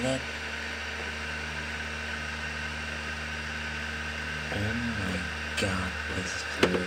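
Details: PS2 Slim playing an Operation Air Assault 2 disc: steady humming whir, then a wavering, rising-and-falling drone with knocks as the disc spins; abnormally loud disc drive, unlike a normal disc.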